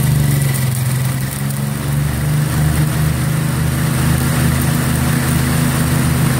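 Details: 1963 MTD Lawn Flite lawn tractor after ignition rebuild, mowing: small single holds high steady drone with little droop under load; running too fast, owner says throttle and governor aren't right, had to throttle all the way down.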